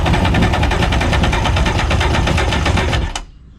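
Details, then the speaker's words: 1994 Polaris SLT 750 jet ski with bad pistons, cranked with a compression gauge in cylinder 1 reading 60–70 psi: fast, even starter chatter with weak pulses and no firing; low compression. "Yeah, we're reading 60-70 pounds, so that's not good."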